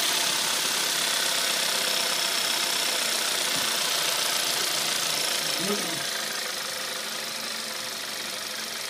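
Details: Audi A3 1.4 TFSI cold idle: light even tick about four times a second under hissy idle; cold-start knock, cause not determined.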